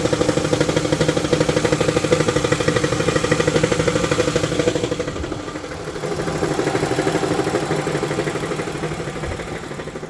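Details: 2018 Dodge ProMaster 1500 V6 at idle: a steady light clatter, about three beats a second, over an even idle. It goes away above 1,000 rpm; cause unknown.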